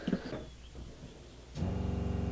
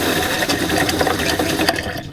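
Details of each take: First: RV water pump after installing an accumulator tank, recorded across the bed while a kitchen faucet is opened: it kicks on with an even, steady hum and fine pulse. The chugging is gone and the pump is slightly quieter. Normal running. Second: RV fresh water pump before fitting a Shurflo accumulator tank; rapid buzzing chatter in short bursts that fade; pump short-cycling, causing uneven water flow.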